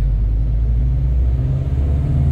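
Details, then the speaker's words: Subaru STI built to 2.6L on stock exhaust and intake with TD05 20G turbo, near-stock software, before dyno run: deep even rumble at raised idle with no knocks, rattles or whine; runs quietly and healthy. "nie cichutko chodzi"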